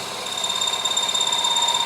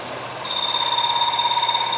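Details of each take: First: Milling a rounding die for a press, end mill taking cuts of thousandths at a time while boring: steady high-pitched cutter whine rising slightly as the bit starts contacting and cutting — normal light milling cut. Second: Press rounding-die machining: shrill, steady, fast-pulsing electronic over-torque protection alarm that cuts off abruptly; reset by backing off until it spins free with the machine off.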